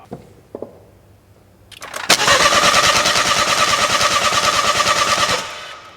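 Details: 2012 BMW 1 Series, crank no start, cranked while testing feed pressure to the replaced high-pressure pump (steady, from the new low-pressure pump): rhythmic cranking at about three turns a second that never catches. Cam timing was incorrect.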